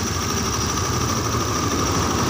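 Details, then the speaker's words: Honda Beat injection scooter after engine rebuild, cylinder bored 50 oversize, idle screw about 3 turns out: steady, even idle hum, no hunting or misses, settled around 1400 rpm and no more than 1500; normal idle. "3 putaran dia baru bisa hidup normal nih."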